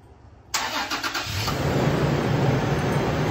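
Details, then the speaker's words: 5th-gen Toyota 4Runner remote-started with an add-on Start-X kit: fuel pump heard, brief crank, then the engine catches cleanly and settles into a smooth, even idle; normal start. "You'll hear the fuel pump, and then it'll start up."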